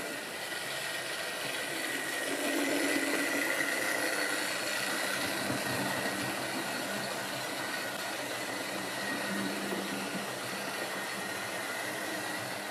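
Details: Wrenn West Country class model loco Lyme Regis, not run since the 80s, after joints greased and reassembly: quiet, even motor whirr with light regular ticking about four beats per second; runs smoothly.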